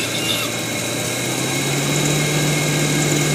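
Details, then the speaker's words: Kembara with HC engine, low idle rpm and near-stalling with aircond on: vacuum hose pulled off the FICD/idle-up valve makes engine note climb and grow louder, rpm rising 900-plus; suspected faulty idle-up vacuum valve. "oke k orang boleh dengarkan dia punya bunyi Enjin dia akan lebih kuatlah dan kita tengok RPM dia naik 900 lebih punya RPM"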